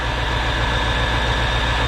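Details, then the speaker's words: 1995 Chevrolet Corvette C4 5.7L LT1 V8, 105,000 miles, salvage car after accident, oil clean, trans fluid not burnt: even, steady low exhaust pulse at idle with no misses, knocks or ticks; smooth, healthy idle. "nice and smooth run in there"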